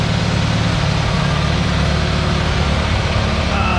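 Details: IH 140 tractor after new radiator, hoses, belt and water pump, coolant topped off; steady low idle with even beat, no whine, knock or grinding from gearbox, transmission much quieter than before, PTO turning; healthy driveline.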